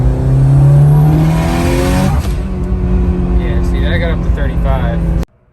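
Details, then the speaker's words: Mitsubishi Evo 9 with Tial MVS 38mm wastegate and Grimmspeed 3-port boost control, warmed up, full-throttle third-gear pull: hard rising note, gear change, another climb; boost over 30-35 psi, above target without hitting boost cut; turbo overboost. "so here's a short little pull here i guess looks like it's still hitting over 35 to me or 30 psi to me but"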